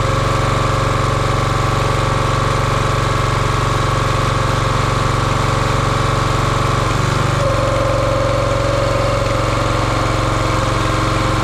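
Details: Champion 27-ton log splitter, 224cc engine, stored outside probably over a year: steady even running, brief load change around seven seconds, then settles; nothing abnormal, healthy.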